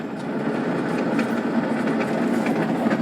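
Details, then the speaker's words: 2002 Honda Insight hybrid CVT, shifted from park into drive with e-brake on: rapid uneven clatter and scraping with vibration, rpm dipping and the engine nearly stalling; owner suspects transmission or clutch engagement trouble, not confirmed. "it shouldn't be making that noise at all it shouldn't be vibrating like it is"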